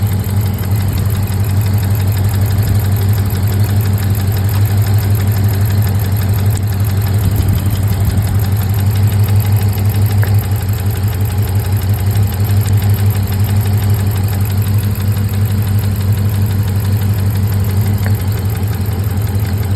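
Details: 6.4 Hemi V8 idling with a deep uneven lope and a regular stumble about three times a second from a dead cylinder. The coil pack was changed but it still misfires; owner wonders if fuel or pushrods are the cause.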